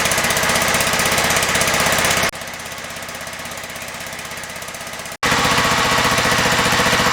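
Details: John Deere STX38 riding mower, Kohler CV12.5 single-cylinder, running about 1800 rpm to break in a new camshaft replacing one with a worn exhaust lobe: steady, even putter with clean regular firing and no knocks; healthy.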